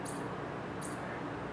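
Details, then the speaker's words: Early-1990s CRT monitor just switched on: high thin chirps about every three-quarters of a second, speeding up, with the tube starting to click; owner suspects an old dried-out capacitor in the power supply. "yeah hear that it's starting to chirp faster so something is charging up and i'm hearing the tube start to click so i have a feeling there's like an old dried out capacitor in the power supply that's starting"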